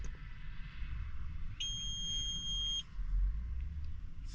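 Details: Cab; the blower motors are believed to sit under the cab. One steady high beep of about a second sounds over a low rumble. The cab warning alarm's cause is unknown.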